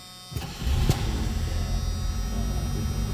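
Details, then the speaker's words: 1978 Chevrolet Chevette 4-door hatchback, 20,034 miles, stored indoors: brief crank, then it fires right up and settles to an even idle, with the seatbelt chime and radio audible; normal start. "pow, that thing fires right up."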